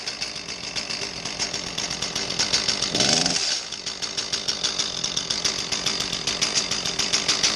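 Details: Echo CS-310 small two-stroke chainsaw revving before repair with a dull, choked exhaust note and little power, as if talking through a mask; the cause is a carbon-plugged spark arrestor screen in the muffler.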